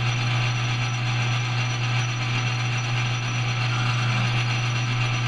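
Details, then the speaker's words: Lathe cleanup pass with the power feed on while making knurled thumbscrews: a rough, fast buzzing chatter over the machine hum. The cause is a tool scraping at too large an angle; changing the angle stopped the chatter and squeal. "there's a good example do you hear that chattering going on I'm scraping back here I don't have I have too large of an angle"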